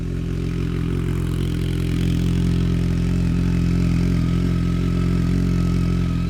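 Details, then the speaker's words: BMW K1200R Sport in neutral, after a coolant purge under vacuum, new plugs, new battery and final drive fluid: even, steady idle with no dropped pulses; the misfire sound it used to make is gone. "that always used to sound like it was misfiring before I'm not getting that misfire sound"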